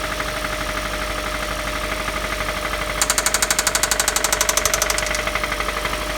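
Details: Idling engine with a spun rod bearing on cylinder 1: a sharp, fast, regular metallic knock that swells loudly for a couple of seconds, rod knock.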